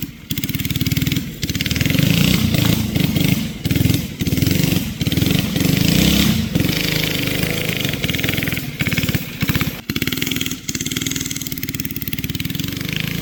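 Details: Barn-find race go-kart with an original flathead Briggs & Stratton that once ran alcohol, now on E85 after sitting 30+ years; the single keeps sagging and stumbling in short dips instead of pulling clean, bogging. Carburetor issues suspected.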